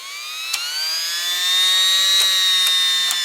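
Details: Vintage Air heat/AC blower motor that had seized, cleaned and bushings lubed with graphite, run in the truck via the fan switch: smooth, even whir climbing slightly in pitch, no scraping or ticking. Normal operation.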